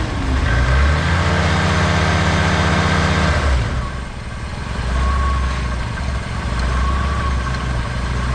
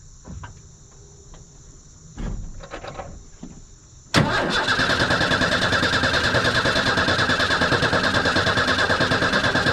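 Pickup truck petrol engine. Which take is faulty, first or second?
second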